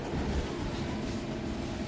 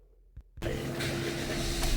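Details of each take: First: Toyota Passo with codes P0420 catalyst, P0300 random, P0302 and P0303 cylinder 2 and 3 misfires, low pickup: low idle with uneven stumbling beat and irregular dips, a cylinder misfiring. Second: Toyota Passo after repair for misfire and catalytic converter code, with CVT fluid renewed: brief crank, catches at once and settles into an even, steady idle. Scan shows no codes and no misfire. Normal start and idle.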